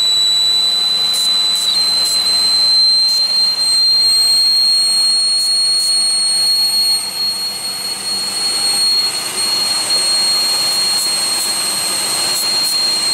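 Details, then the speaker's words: 2001 Pontiac Aztek GT with rebuilt engine at idle: loud, steady high-pitched whistle holding one pitch, traced to a vacuum leak at the intake plenum gasket, which was loosely bolted. "so it's coming from it's definitely coming from the funding gasket it's not even as loud as it was"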